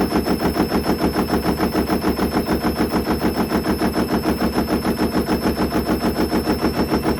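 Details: Hoover Link HL1682D3 washing machine, badly damaged and unstable with twisted door seal, on spin: hard, very regular thumping about twice a second as the drum slams the cabinet every turn; extremely loud violent banging.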